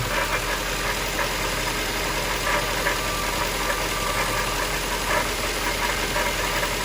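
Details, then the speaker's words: 1998 Jaguar XK8 at idle: steady low grinding rumble like a metal pipe dragged on the floor, gone with higher rpm, not from the top of the engine or chain; belt tensioner new, power steering pump suspected, cause not found. "it's a low grinding rumbling it almost sounds like a a vibration of some like it sounds like a metal pipe being dragged on the floor and you can only hear it when it's idling i mean it goes away with engine speed"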